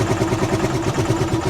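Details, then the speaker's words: Rusi Chariot 175 single-cylinder motorcycle, cold engine just started: steady, continuous idle putter with no stumbles or rattles. Idle speed is neither too high nor too low, a normal idle. "So tuloy-tuloy na po yung andar yan. So ganyan ka kondisyon. Yung minor niya sakto lang yan guys."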